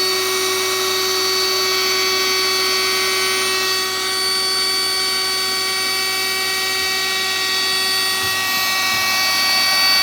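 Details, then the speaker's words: Battery-powered high-volume inflator adapted as portable kayak air pump: steady high electric whine with constant hiss of air escaping because the valve isn't fitted; fitting the valve properly was the original problem's fix. "they can hear the air escaping that's because I haven't put the valve in"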